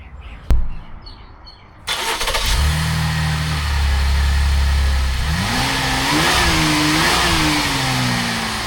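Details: 2023 Chevy Traverse after repairing an exhaust leak caused by running over debris: damaged pipe rewelded, gaskets checked. Engine catches, settles into a smooth steady idle, then revs up and down cleanly with no ticking or puffing; exhaust sealed.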